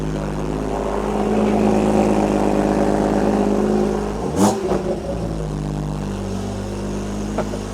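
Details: Crash-rebuilt BMW M240i B58 engine on first start after downpipe/catalytic converter refit and a new high pressure pump, before tuning; strong steady drone, then a quick clean throttle blip settling evenly, healthy.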